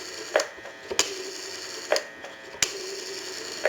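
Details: Automatic Electric rotary Monophone telephone during checkout and repair: crisp clicks and ratcheting bursts as the rotary dial winds back after each number, even and clean, so the dial is returning normally.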